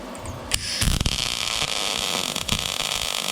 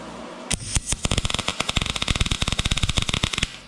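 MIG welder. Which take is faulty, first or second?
second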